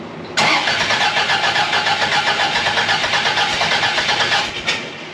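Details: 1982 Fiat 124 Spider, freshly twice-rebuilt engine with 35–40 PSI fuel injection, first start attempt after valve shims and timing set: starter spins steadily about four beats a second for four seconds without firing; timing not yet right.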